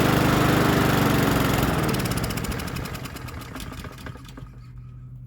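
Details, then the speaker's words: Troy-Bilt TB130 push mower, Honda GCV160, after replacing the dead E3 spark plug: fires without choke, runs with a quick even putter, then winds down steadily at shutoff. "I switch to spark plug I bet you it starts I'm going to try without the choke"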